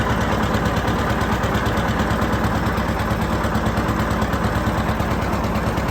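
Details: John Deere 730 two-cylinder tractor disking ground with a John Deere RWA disk; slow even putt-putt beat, steady and unbroken under load, no knocks or misses; healthy running.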